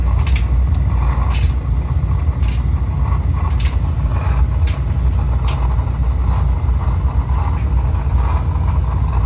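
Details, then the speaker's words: Oil-fired heating boiler burner making strange noises: a heavy low roar with irregular ticks and uneven pulsing as it starts trying to shut off. Rough burner running and flame-out. "Se escucha un ruido raro ahí. Ahí se escucha un ruido. Y ahí se empieza a querer apagar, vean, vean."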